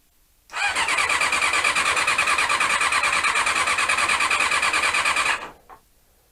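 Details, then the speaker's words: Honda CB-1 (NC27) sat unused a couple of months, fed from a remote fuel tank: the starter whirs with an even pulse about three times a second for five seconds, no firing. Cranks but won't start; owner suspects the carbs need cleaning. "as usual we've got the uh a non-starting problem that you always get with these bikes when you leave them for too long so i guess i will be cleaning out the carbs again"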